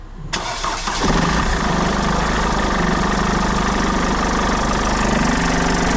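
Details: 2008 Mercedes E220d diesel after oil service, starting and idling: uneven slapping rattle from the belt drive as a failed alternator pulley makes the tensioner flap fast; fix is removing the belt and replacing the alternator pulley.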